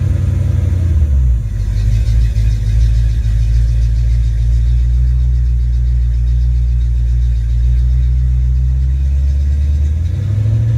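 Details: Ford Mustang 5.0 mass air V8 running a rebuilt A9L computer under test: deep note climbs and holds evenly at high revs, then drops to smooth idle; no stumbles, misfires or breakups.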